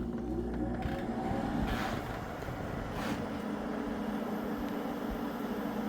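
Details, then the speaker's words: Window air conditioner (Fetters or newly installed Sharp) running: steady even hum with smooth fan rush, no rattles or cycling; blowing ice cold air and sounds great, normal running. "It's blowing ice cold air. This one is blowing ice cold air and it sounds great."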